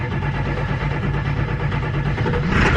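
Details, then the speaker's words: 1999 Ford F350 7.3 Powerstroke after a Melling M208 high-volume oil pump install, first cold start at 44°F. A deep diesel rumble catches promptly and settles without stumbling, building oil pressure almost immediately: a clean, healthy start. "Hey, that wasn't bad. Especially for being 44 out, that was pretty good. Looks like it built oil pressure pretty much immediately."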